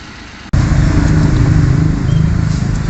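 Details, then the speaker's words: Suzuki Scrum F6A carbureted engine, after carburetor repair for hard start, high rpm and hesitation on acceleration, road test: engine catches and pulls steadily with even, relaxed low drone, no stumble; normal running on road. "So ngayon po mga kaal narinig naman natin na ang under ng makina ngayon ay relax na y relax na so Ayan po mbo Okay na talaga"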